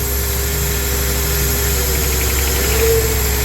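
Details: 2004 Honda Accord running again but idling rough with an irregular stumble, a hard miss; coils are pulled one by one to find the misfiring cylinder.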